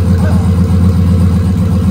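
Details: Gen 3 turbo LS V8 with Holley Terminator X in a no-prep race car, first start after rebuild: loud, deep, steady V8 burble with an even lumpy beat, no knocks or ticks; runs cleanly, oil pressure good, though ECU shows no crank signal.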